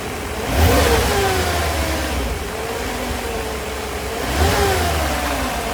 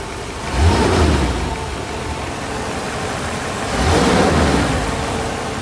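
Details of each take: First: 1991 Mercedes 500SL (R129, M119 V8), warm, with a high idle once warm: two quick revs, each time the revs hang high and slowly sink toward idle. Owner unsure of the cause and wonders about the idle control valve. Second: 1991 Mercedes-Benz 500SL (R129, M119 V8), fully warm after about 25 minutes of driving, idling in place: smooth steady low rumble with gentle rises, no knocks or hunting; normal idle, the high warm idle it is known for isn't occurring.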